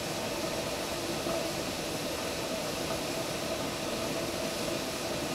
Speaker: you can also hear your jars kind of moving around in there from the boiling water and you can also hear this steam clearly